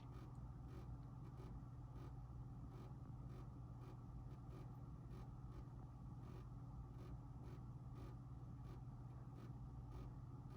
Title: Vhs Recorder to DVD burner making noises